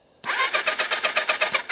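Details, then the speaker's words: 1999 Kawasaki ZRX1100 after sitting twelve years, first crank on jumper cables with no spark plugs and oil squirted in cylinders, carbs off: quick even starter whirr, steady compression pulses about six per second, no grinding; normal cranking. "Oo, that sounds really hopeful. Then remember, there's no spark plugs in here right now. I did shoot a um good amount of coral down in the cylinders."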